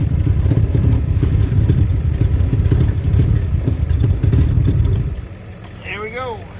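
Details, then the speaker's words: 1976 Chevy C30 dually V8, revived after decades sitting, after being moved: steady, even low idle rumble with no misfire or knocking, then shuts off cleanly; the motor runs good. "See that? That motor runs good."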